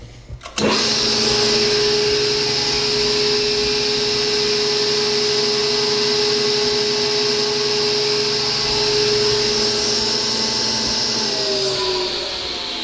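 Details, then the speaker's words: Powermatic Model 65 table saw, 3 hp motor, switched on: clean steady whine at constant pitch with no rattle or wobble, then winding down; runs smoothly. "Smooth running. Does have a solid cast top with extensions."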